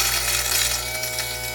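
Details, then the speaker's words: Jericho-type direct-drive coffee grinder with no gearing to the burr, grinding light-roast beans: high, buzzy whir that wavers and comes up to speed unevenly. Motor seems underpowered under burr load; cause unclear. "the motor kind of comes up to speed now listen to the motor sound if you can you hear it like so it's sort of coming up so it seems like maybe a little bit underpowered there and the sort of burr rotation may be putting a lot of load on the motor"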